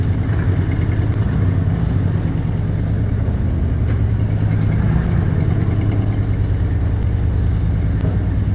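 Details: Ford Bronco after carburetor rebuild and fuel system reassembly, heard from the exhaust end: low steady rumble, even beat, slight swell in revs; normal idle.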